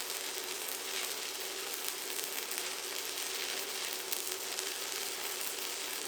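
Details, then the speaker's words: ProWELD MMA 220Puls inverter at 160A with 3.2 mm electrodes on about 6 mm parts, welding a continuous bead: a steady, even crackling sizzle without sputtering. A stable, normal stick-welding arc. "इस एम्परेज पर, इलेक्ट्रोड बहुत आसानी से प्राइम हो जाता है और electric arc पूरी तरह से स्थिर होता है।"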